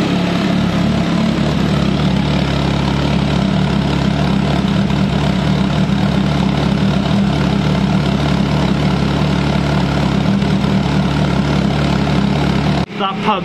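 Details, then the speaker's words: Commer 2.3 turbo after fitting in-tank fuel pump: smooth, even idle with steady low exhaust note, no pump whine or misses; pump so quiet the exhaust sounds louder. "is so quiet it actually makes the exhaust sound louder amazing"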